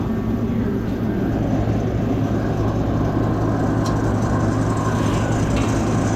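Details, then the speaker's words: USI combo vending machine model 3155 compressor after replacing a leaking, failed start capacitor: steady, even low hum, no straining or repeated start attempts; compressor now starts and runs, air getting cold. "I don't hear it making that noise attempting to start anymore"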